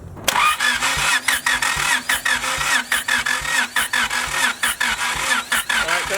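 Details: Widow's blown engine, sat outside in rain and snow, cranking with about three uneven pulses a second during a compression test; readings roughly 150, 100, 70; blown head gasket suspected.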